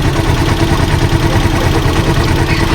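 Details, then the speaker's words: Rusi Chariot 175 trike single-cylinder engine idling with a quick, light top-end ticking from loose valve clearance that follows engine speed when revved; noise came on suddenly, tune-up/valve adjustment planned. "Rinig na rinig yung lagik ng mga bulve."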